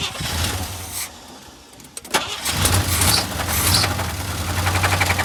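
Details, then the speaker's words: Blown engine on a mildly chilly cold start: it cranks briefly, then settles into a ragged, uneven idle with hissing and gurgling, described as boiling over, with smoke building. A badly damaged engine running rough. "oh she's just boiling over big time by the sounds of them gurgled yeah I mean sounds like there's some mice in the engine but there isn't"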